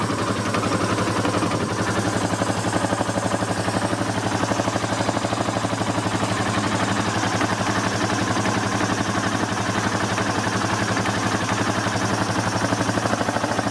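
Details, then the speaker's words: Yamaha Terrapro with PTO engaged: steady clunking knock about four beats a second over the running engine from a worn PTO bearing with a lot of play. "It's just when you engage the PTO, you hear it clunk, clunk, clunk, clunk, clunk, clunk. And that bearing has a lot of play. Let's see if we can hear it. Sounds like a knocking noise."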